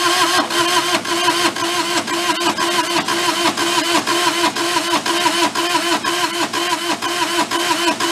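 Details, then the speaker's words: Mid-1980s Bobcat 642 diesel skid steer, non-running, after glow plugs heated: steady, slightly uneven starter chugging about two beats a second with no firing; cranks but won't start, owner suspects a tired engine with low compression. "my guess is that the engine's tired and they just weren't able to get at the start that's just a guess of my part right now"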